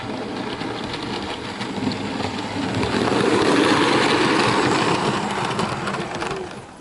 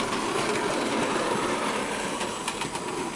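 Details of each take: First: Bachmann OO gauge SE&CR C Class 0-6-0 steam locomotive, new and running in: rumble with a light rhythmic squeak from the loco, not the tender; owner suspects dry coupling rod crank pins needing lubrication. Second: Bachmann OO gauge SE&CR C Class 0-6-0 steam locomotive running laps after lubricating the crank pins, which cured an earlier squeak: steady whir with light rhythmic clatter, no squeak, sounds perfectly fine.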